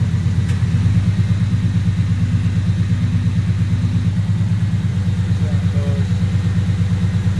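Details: Truck idling after an exhaust leak repair: collector copper gaskets reused and sealed with red high-temp RTV. Steady, even low idle with a smooth pulse and no ticking or puffing at the manifold; the exhaust sounds sealed.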